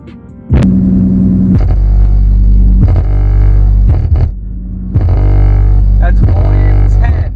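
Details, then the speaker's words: Ford Mustang V6 sound system with a 1400 W Sony Xplod amp, engine running, doors closed and windows up: heavy bass with a buzzy rattling vibration because the subwoofer enclosure seal blew at the base and needs resealing. "so a big issue is it actually blew the sea hills to the base so we need to reseal it that's why you hear that vibration going on which is really annoying"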